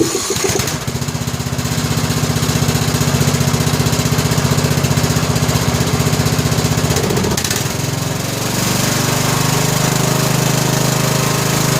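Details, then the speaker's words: Briggs & Stratton Intek 17 HP OHV engine in a 2000 Scotts lawn tractor, after installing a new correctly gapped plug, started without choke: steady chugging, no pops or misses, smooth warm-up run; popping cured. "she ain't popping no more [Music] could burn a little oil off I'll let it warm up a minute"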